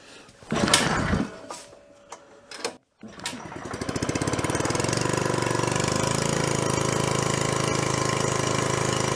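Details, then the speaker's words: 1970s scuba tank air compressor engine after the new belt pulley was installed and the intake filter cork removed. It fires after a few cranks into a steady even chug about three beats a second, and it is making air pressure. "That is definitely making pressure. I can hear the air coming out of here and also feel it."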